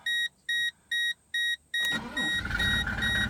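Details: 1997 Mercedes-Benz E-Class turbo diesel: five steady chimes, then the diesel catches almost instantly and settles into smooth idle; healthy quick start.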